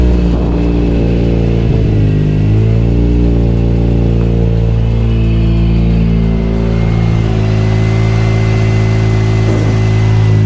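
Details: Mazda RX8 231 race car with a new custom 3-inch exhaust, idling after first start, coolant lines warming: loud, steady, buzzy drone with a deep even note and slight hunting, no misses or rattles; a normal, healthy idle.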